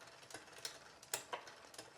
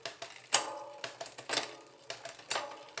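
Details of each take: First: Road bike rear derailleur with upper pulley deliberately pushed too far inboard via the barrel adjuster: sharp, irregular metallic ticks over a quiet chain whir as the chain rubs the next cog. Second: Road bike rear derailleur after barrel-adjuster alignment to the second cog, indexing matched to the shifter: crisp separate shift clicks, then quicker freewheel ticking with no rubbing or chatter, the earlier ticking gone, clean indexed rear shifting.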